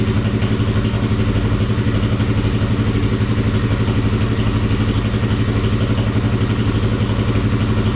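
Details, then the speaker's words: Kawasaki KFX400 single running after crankcase replacement and rebuild, carburetor still leaking fuel, water-pump coolant drain found loose: even, low thumping idle about four beats a second, steady, no knocks or ticks; healthy motor. "I want to fire it up again, let it run some more. sounds good. It's a healthy motor."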